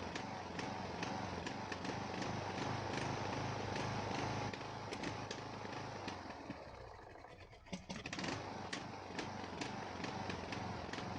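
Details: Ariens 42" geared riding mower, 17.5 hp Briggs & Stratton (31C707), Nikki carburetor, long neglected; new fuel filter, fresh gas, fuel flow fine, throttle moved: pops unevenly, misfiring and sagging then recovering, smooth only at some throttle positions; carburetor suspected, unconfirmed.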